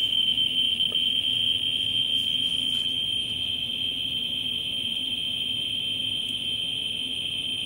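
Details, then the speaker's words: Ludlum 14C with a Ludlum 44-3 gamma scintillator close to a Westclox Big Ben radium-painted clock dial in fast mode: clicks merge into a steady high buzz from the very high count rate. "bouncing on twenty thousand to three thousand counts"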